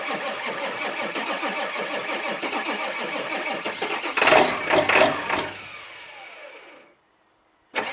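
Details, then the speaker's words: 2001 Ford F350 7.3L PowerStroke diesel, 325,000 miles, cold start after 14 hours sitting following a night near 27°F; owner suspects bad injectors: cranks, fires and runs with uneven, loping beat; rough cold-start lope. "as you can tell it does have some pretty nasty cold starts to it but that's the 73 L diesel for you"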